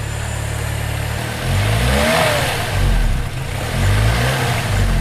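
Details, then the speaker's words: 2004 Chevrolet Malibu Classic at idle after a repair attempt: low rumble wobbling and stumbling unevenly, barely catching itself; rough misfiring idle persists, cause unknown. "it's still barely catching itself. Well, I tried, you know."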